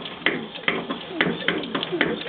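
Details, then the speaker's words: Normal ignition spark on a 1934 Morris 10 Convertible that had not been started for 10 years, with the coil and distributor connections cleaned. Sharp, uneven snapping ticks come from the plugs lying on top of the engine, with no engine running, showing a healthy spark. "oh you can hear the spark and you can see them oh that's good"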